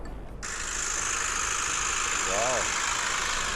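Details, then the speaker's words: 2016 Hyundai i40 saloon 1.7 diesel, about 80,000 km, idling just after start-up: a harsh metallic rattle over the diesel clatter; damper pulley or alternator first suspected. "디젤 차여서 달달거리는 소린가? 그렇게 들리시나요? 아니면은 차에 좀 문제가 있나 이렇게 들리시나요? 제가 처음에 들었을 때는 댐퍼 플리 쪽의 문제인가? 아니면 제너레이터 쪽 문제인가?"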